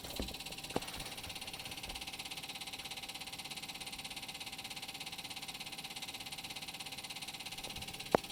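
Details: 1973–86 square body Chevy/GMC truck, key on: quiet, steady high buzz with fine rapid pulsing from a newly added secondary electric fuel pump, even throughout; running normally.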